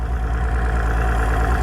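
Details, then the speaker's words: Mercury Optimax outboard idling, about 80 psi air pressure, fuel pressure leaking down: even, slightly quick idle pulsing around twelve beats a second; split fuel pressure regulator diaphragm letting fuel onto the air side. "See the hole in the diaphragm right there? And look at that big long split there. That was letting fuel come from the fuel side, get onto the air side."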